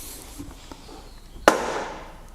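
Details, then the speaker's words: 2016 electric Peugeot Partner van, 36,000 miles: loud sharp metallic clunk ringing through door panel as door opens, from worn internal check strap mechanism, not loose; fix is replacing check strap. "you get that noise in the check strap didn't do it then oh jesus it really is loud and you feel the vibration up here through the metal work it sounds horrendous"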